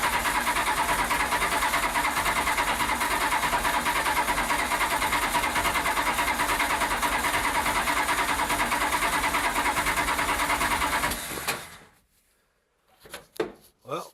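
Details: Datsun with Magnum V8 and newly installed supercharger, rewired harness, first start attempt: even starter chug about three beats a second for eleven seconds, never catching; flooded engine, ECU believed overfueling from an ignition box rpm signal while cranking.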